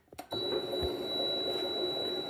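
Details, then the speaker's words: Mini metal lathe after vibration fixes, including a heavier 4-jaw self-centering chuck: the motor spins up to a steady, even hum with a thin whine, no knocking. It runs nice and quiet, and the tool sharpener spins well. "can see it's nice and quiet. Tool sharpener spins nice. Everything's perfect."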